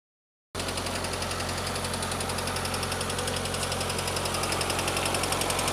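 Steady idle with a fast, fairly regular light tick, roughly three to four per second, riding on top; sounds like valvetrain tapping. Cause suspected, not confirmed.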